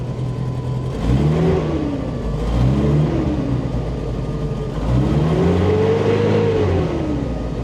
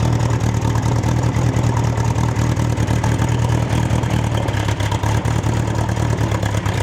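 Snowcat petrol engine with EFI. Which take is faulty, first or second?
first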